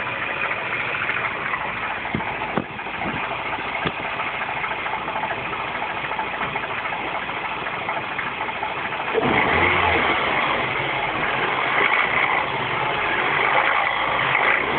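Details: R56 Mini Cooper S started in cold, wet conditions: cold idle with a light, irregular ticking rattle that grows louder as revs rise; cause undetermined.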